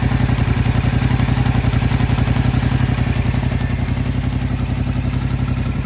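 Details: Steady even clatter of about four knocks per second over a smooth twin idle on a 2025 Yamaha MT-07 at 9,500 km; mechanical engine noise clearly present, source unknown.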